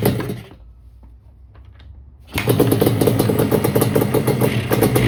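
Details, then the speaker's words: 1989 Yamaha Banshee two-stroke twin after new fuel line, refitted carburetors and fuel switch: crackle dies abruptly on throttle, goes quiet, then fires back to a rapid popping idle; new plugs didn't help; the TORS throttle override was cutting the engine. "It kept dying every time I give it gas. I couldn't rev it out at all."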